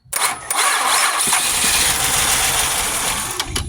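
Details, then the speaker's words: Grand Prix GXP abandoned revival, first start attempt after fuel priming, battery on a weak battery tender: rough uneven churn for about three seconds without catching; weak cranking, low battery suspected. "oh it's at least quiet now I guess that charger is not doing a very good job of charging"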